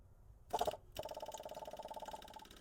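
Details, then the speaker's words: 1977 AMC Matador, newly fitted small electric fuel pump wired straight to the battery: rapid, even ticking about twenty clicks a second after a short buzz; the pump does not seem to be working or priming yet. "So, you can see that little clicketity clack pump I got hooked up there. It uh does not seem to be working."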